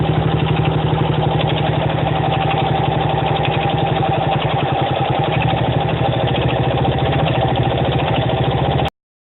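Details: 1975 Honda XL125K at steady idle: a dull knock on every firing pulse, about four per second, still present after a new cam chain was installed; source unknown.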